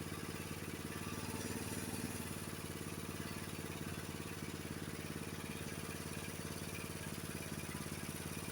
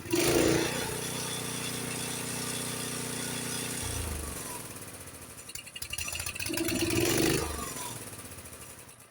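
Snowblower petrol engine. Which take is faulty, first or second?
second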